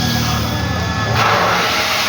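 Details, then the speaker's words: Backwash of a purified-water refilling machine's activated-carbon filter tank, auto head switched on: steady rushing water hiss with a sudden surge as flow shifts, carbon bed being churned at the bottom; normal backwash operation. "Yung laman niyan, yung tunog na yan, narinig nyo? Yung tunog niyan, ibig sabihin, pinaghalo-halo na niya yung mga carbon sa loob, sa ilalim."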